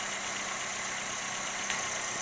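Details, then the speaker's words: 1976 Toyota Corolla TE31, daily driven: quiet, even idle hum under a steady hiss with no knocks, stumbles or shakes; runs so smoothly a wrench can sit on the motor. "uh you could tell it runs really smooth"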